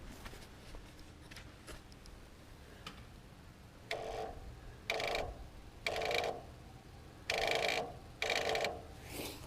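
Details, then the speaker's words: Massey Harris Model 33 tractor, in neutral with key on after a starter rebuild: only the electric fuel pump ticks about once a second and the starter never cranks. Earlier it only turned over very slowly. Owner suspects the starter solenoid. "could just be the uh could be my starter solenoid down in there"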